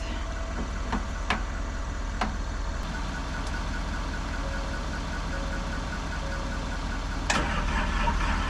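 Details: Diesel excavator that would not turn over, started after a jump from the truck, batteries due for replacement: steady idle with an even low rumble and only a few stray clicks; running normally once started.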